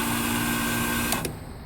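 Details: Trane outdoor unit with a compressor repaired 2 months earlier, during a button-started test run: steady motor hum and fan rush that winds down at the end, with no grinding, rattling or squealing; it runs normally.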